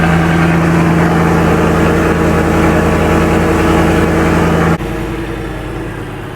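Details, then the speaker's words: Cold start of a 2024 Ford F-150 Coyote V8, lowered, just fitted with a Whipple supercharger, long-tube headers and exhaust: strong, steady, very loud burble at high cold idle, even firing with no misses or knocks; healthy cold start. "That's better. Good old Coyote cold start for you. Okay, it runs."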